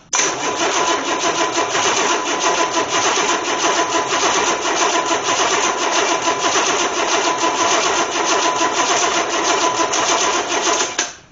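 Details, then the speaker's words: 1984 Corvette engine that sat about 20 years (16 in the car, nearly 4 in the shop), tested on the floor before installation: long steady cranking with an uneven hissy chug, strong compression rocking it, many vacuum leaks; almost catches but won't run, spark suspected present. "you can tell it's got some serious compression because it's it's rocking just just doing what it's doing so wow I mean I got 9,622 vacuum leaks and it sounds like still sounds like it wants to run"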